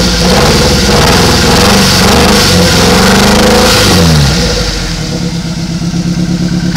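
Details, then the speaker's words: Nissan Sentra with number 1 injector unplugged for testing: revs climb and fall back to a lumpy, uneven idle with one cylinder dropping out and no change when unplugged; injector 1 dead or unpowered, misfire. "Yep, no changes. Number 1 injector is either getting no power or it is no good."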